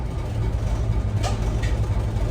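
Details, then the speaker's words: Old diesel bus engine (Merlin MB375 or Atlantean 1101) left idling to recharge the batteries: steady low throb with an even beat and one brief clatter of handling noise; idle is healthy. "got to love old diesels though they're pretty simple I'll just let it run for a little bit just to put some charge back into the batteries that we probably just took out"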